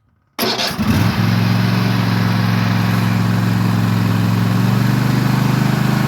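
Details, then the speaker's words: Husqvarna TS148XK lawn tractor, bought June 2024 and fuelled with additive-treated fuel, throttle set near fast/full: the engine catches immediately and holds a steady, even full-throttle drone without surging or misfiring; healthy. "it's fueled up and I'll set the throttle not quite to fast start and so you can hear what it sounds"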